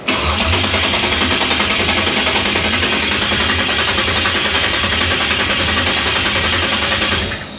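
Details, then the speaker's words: 1966 Impala rebuilt to 560 hp after a recently clocked fuel pump: starter churns steadily at about three and a half beats a second but never catches; no fuel reaching the carburettor bowls. "There's no fuel in the bowls yet. None."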